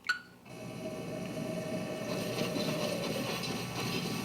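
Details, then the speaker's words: Nintendo Switch on an old CRT TV using an RCA-to-3.5mm audio cable, TV volume at 50, playing Breath of the Wild. A steady mid-pitched hum under the game audio doesn't change with the action. It's suspected to come from the old TV's electronics; this is not confirmed. "Can you hear that like humming sound? It doesn't sound so bad today."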